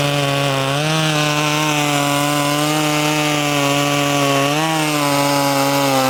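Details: Poulan 2500 Farmhand (2900 equivalent), running .325 chain instead of 3/8 low profile, through a cut: strong even high-pitched two-stroke buzz dips slightly under load and recovers cleanly. Normal running under load.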